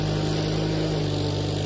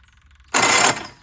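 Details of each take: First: Case 1816C skid steer after sitting 10+ years in a barn, revived with a new starter and battery, roll cage refitted: steady, even low engine drone with no knocks or misses; runs and drives healthy. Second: Case 1816C skid steer after adding oil: harsh half-second metallic grind as the starter engages, no start; starter pinion teeth not lining up with flywheel because the newly fitted starter was not adjusted right.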